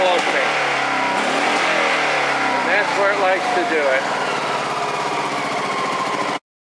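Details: Honda PC800 motorcycle with electronic ignition: slight throttle crack makes the exhaust pop and spit; owner first suspected dirty mid-range/low-speed carb jets, but a failed battery's low voltage was upsetting the ignition.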